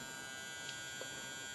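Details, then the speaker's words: HID/HPS grow lamp in a hood, just switched on and heating up: steady high-pitched electrical buzz with constant tone and no rhythm, seemingly worse than before; owner hopes it fades once warm, cause unclear. "Now you can hear the buzzing. And it wasn't that bad before, I could swear. Hopefully it'll kind of warm up and go away. I really dislike that buzzing."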